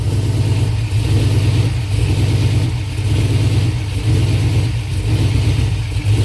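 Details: 5.3 V8 swap idling and revving with a low, uneven lope surging about once a second; rough running misfire, fuel pressure suspected. Cause not confirmed.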